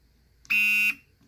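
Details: Nikon D90 showing Err: a single loud, steady, high-pitched buzz of about half a second on shutter press, with no normal shutter click; mirror doesn't move though it isn't stuck.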